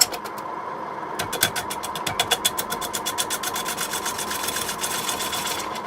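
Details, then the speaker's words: Record wood lathe turning green quilted sycamore bowl blank with bowl gouge: rapid rhythmic knocking each revolution as gouge hits high spots; uneven blank and extra length cause vibration until surface is smooth. "unevenness at all of course is making it vibrate but this extra length really makes a massive difference to it"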